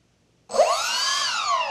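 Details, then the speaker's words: Freewing AL-37 twin 70mm EDF jet after ESC throttle calibration: both ducted fans whine up together from silence in one clean rising tone, starting and stopping at the same time with even power. "motors will start at the same time see if I can get them both in here for you guys but yeah both motors start at the same time both stop at the same time even the power"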